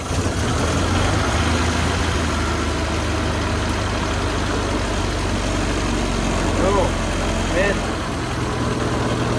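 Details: 1974 Toyota Celica 18R-G four-cylinder after new water pump replacing seized squealing one, new thermostat and block flush: smooth steady low idle hum with no squeal or knocking; normal idle.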